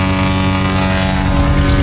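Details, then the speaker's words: Asplundh JEX Chuck n Duck wood chipper running with a steady engine drone and light rattle; the drum bearings are silent with no growl or squeal, only blade air noise. "can't hear these bearings at all. It is silent. This thing is going to free coast forever. But it sounds great."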